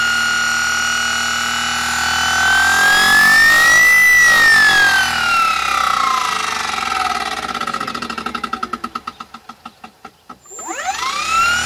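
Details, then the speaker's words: Curtis controller clone driving an old military starter/generator shunt motor wired as a series motor, running unloaded, motor warm: whine rises then falls on spin-up and coast-down with a faint squeal; something loose suspected, cause unknown. "as you can see it just runs it little squeal to the motor not pulling any amps"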